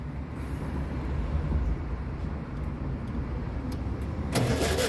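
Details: Volkswagen Beetle engine in a Combi van, stalled roadside: steady starter churn with no firing throughout, just clatter at the end; cranks but won't start, with fuel and ignition spark being checked, starting-fluid squirt used.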